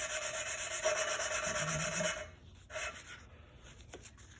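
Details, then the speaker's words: Hand-lapping a replacement valve into its seat with compound for about a minute on a low-mileage head of a 2008 Dodge Magnum 2.7 L V6, valve bent when the timing chain tensioner retracted: gritty back-and-forth grinding that stops and turns smooth. "I'm just going to do it for about a minute. You can hear it too. It's the grinding going on, then the grinding stops and it gets smooth."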